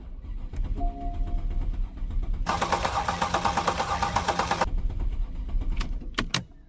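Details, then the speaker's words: Porsche Panamera S after owner's timing chain job with new timing kit: even starter cranking about two seconds with no firing; crank no start, later traced to empty fuel tank. "so it was really annoying to have this crank no start after doing all that work"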